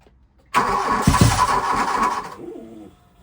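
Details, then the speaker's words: 1987 VW Scirocco 16V, sitting over 20 years, with starting fluid sprayed into the intake: uneven cranking with a couple of brief catches that fade; getting spark but not fuel; no start. "so it's getting spark it's just not getting fuel yeah so the so is uh not Distributing exactly"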